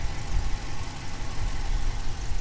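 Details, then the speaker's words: 2018 Dodge Challenger R/T Shaker 5.7 HEMI V8, 8-speed auto, LPG conversion, freshly serviced oil: steady, even idle with light, quick regular injector ticking; normal idle. "engine's clicking away all nicely I can hear the I can hear the fuel injectors tapping away as they should do nice and"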